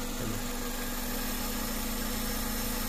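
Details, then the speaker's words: Honda Civic VTi automatic with a complaint of high idle that drops suddenly at start. After the idle air adjustment, a steady, even low idle hum with no surging or dips. Earlier it was going wild, now quiet. Normal idle. "Tahimik na tahimik ang sasakyan para hindi umaandar. Kanina nagwa-wild, ngayon tahimik na."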